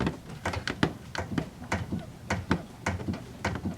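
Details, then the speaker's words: 2007 Saturn Ion, sway bar bushing with a lot of play, causing vibration and a thumping over bumps, worse on the right side: dull knocks about three a second, each matching a push as the car is rocked back and forth; worn bushing. "hould and there's a lot of play in there that's why you feel the vibration"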